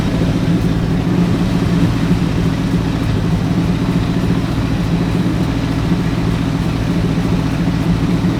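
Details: Ford Galaxie with 289 or 302 V8 (uncertain), just started, timing and carburetor secondary not yet adjusted: steady deep rumble at a high, even idle that never drops back; fast idle, suspected timing, not confirmed.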